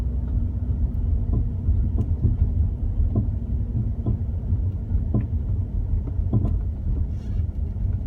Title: BMW e34 sudden clunking noise